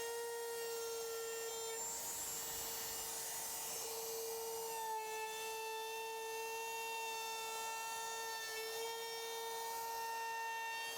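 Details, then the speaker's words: Wood router cutting a round-over on a carved sign: a steady high whine at one pitch with a thin ringing edge throughout the cut; the owner suspects the router bearings are starting to go. "did you hear that guys sounds like my router the bearings are going out that's what it normally sounds like"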